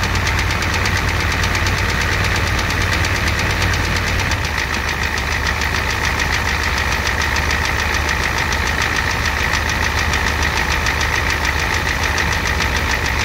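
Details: 1988 Ford F250 7.3L IDI diesel at idle with high pressure fuel line leak, white/grey exhaust smoke, smoke from oil dipstick, oil in add zone: sharp, hard knock on every firing pulse over diesel clatter; cause not pinned down.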